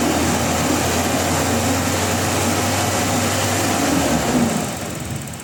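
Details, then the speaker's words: Toyota Revo with delayed throttle response and unstable, dropping idle, revved to check the spark plugs: held rev stays smooth and even with no stumbles or popping, then dies away. Fires cleanly, no misfire; throttle suspected. "And mga boss, kung makikita nyo, matining naman siya at hindi naman pumalya itong makina. Maaaring dito lang talaga sa throttle yung problema."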